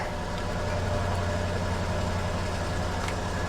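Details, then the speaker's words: 1982 Cadillac Seville with 144,000 miles, run only briefly because its auxiliary radiator is missing: a low, smooth, even idle with a steady rumble and no knocks or ticks; normal idle. "it runs great it does huh"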